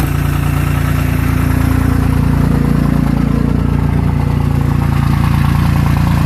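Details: Second-gen 24-valve diesel at high idle, steady low drone with uneven lumpy pulse around 158 a minute, sounding like misses on some cylinders; rough uneven idle, cause suspected, not confirmed.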